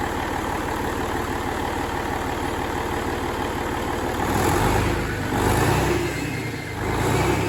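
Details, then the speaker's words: Fully mechanical N14 Cummins 498 HP diesel with step timing, completely rebuilt (pistons, liners, bearings, rebuilt injectors and fuel pump), at cold start: steady even clatter with no knock or miss. Smoke is expected for a few seconds until oil pressure rises. Normal cold start and idle. "it will smoke severely for a few seconds until the oil pressure comes up and then the smoke stops"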